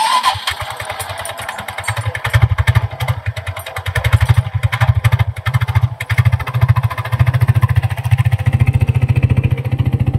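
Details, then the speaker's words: Scooter after belt snapped mid-highway; rough clattering rattle over engine beat just after starting, lasting two to three minutes after start and absent while running; worn variator rollers cause it. "ఆ rollers వల్లనే main ఆ sound విపరీతంగా వస్తుంది అది start మనం bike start చేసినప్పుడు ఒక్కటే ఒక టూ త్రీ మినిట్స్ అలా వస్తుందంటే ఇంకా రన్నింగ్ లో ఏం రాదు."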